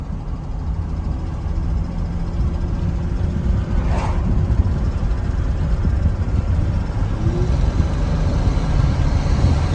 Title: LU3 misfiring